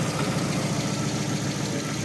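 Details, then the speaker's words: 2021 Lada Vesta with a stock 1.6 petrol engine at 69,000 km, revved then idling: an uneven idle with a faint irregular knock. Suspected timing belt or water pump; the timing belt may have jumped slightly. "Раздаются стуки с мотора. Вот я погазуючала. >> Угу. И вот этот вот стук - это либо ГРМ, либо помпа."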